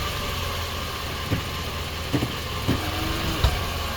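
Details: 2019 Nissan Sentra with CVT, engine idling: several sharp single clunks a second or so apart as the selector is shifted into reverse; driveline clunk, cause unknown.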